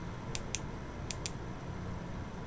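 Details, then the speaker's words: Boyer analog ignition box bench test with a very used Lucas coil, off the bike, 50,000+ miles: spark snaps in uneven groups, a quick pair then singles, rather than one per touch of power; faulty worn coil multi-sparking. "quadruple very inconsistent results for single touches of the power"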